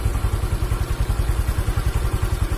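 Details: Honda Vario CBS 125 injection scooter after repair of an oil-starved seized engine, idle manually reset without scanner: steady, even idle with soft low thump about ten times a second, no knocks or rattles; normal idle.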